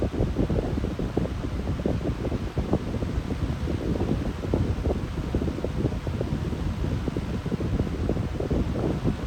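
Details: Lasko high-velocity fan fitted with a startup capacitor, running on medium speed: a steady airy whoosh with none of the loud motor hum it usually makes on medium. The owner is surprised, and why the hum is gone is unknown.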